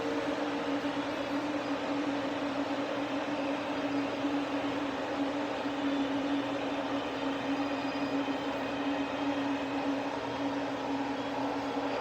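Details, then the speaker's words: Ford Probe GT after new NGK Iridium IX plugs and VMS wires, warm after a drive and just shut off: a steady airy whoosh with a low hum as the cooling fans run on and grow quieter, no ticking or scraping; normal. "But yeah, there it is. You can hear the fans getting quieter."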